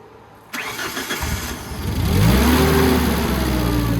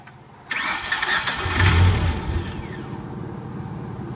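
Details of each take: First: Tennant 355 ride-on floor sweeper after a new fuel pump was installed: it cranks, catches with a rising note and settles into a steady, even run at a high idle that is then turned down. Normal start and idle. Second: Tennant 355 ride-on floor sweeper with no usable throttle: the starter cranks, then the engine catches and surges unevenly without settling, with the fuel pump heard running. Fuel starvation; bad gas or dirt in the carburetor suspected.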